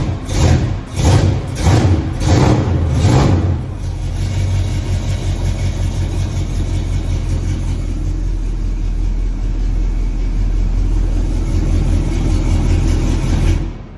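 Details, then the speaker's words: Restored Chevrolet squarebody pickup, fuel-injected big block with a great cam: about four seconds of rhythmic cranking, then fires into a deep, steady, even idle; sounds and runs good. "She sounds good, she runs good. Fire it up here real quick so you guys can at least hear it sounding off."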